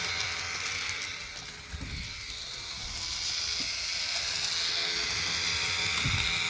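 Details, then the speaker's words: Roco BR 290 (V90) model locomotive with both bogies driven (all four wheels): fast, even ratcheting chatter over a thin motor buzz; runs well otherwise, owner guesses the motor, not the gears, is noisy and maybe needs oil. "I don't know why but I'm having a guess that this is just the engine doing its work and not all the gears that is making all that noise"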